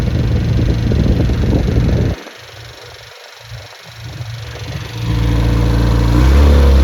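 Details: Freshly rebuilt Triumph Spitfire 1500 engine, warm at about 160°, 9.5:1 compression, 185–195 psi, 270 cam, 50 psi hot idle oil pressure, fuel pump audible; firm even running, brief lull, clean revs. Normal running.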